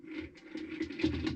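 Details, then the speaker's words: 23-year-old Kenmore 110 washing machine that won't drain, water mostly emptied: short run of light, uneven clicks as the agitator is turned by hand one way, smooth the other way; cause unclear, owner unsure if normal. "that clicking and then it's smooth going this direction I didn't really know why it was doing that I wasn't sure if that was normal or not"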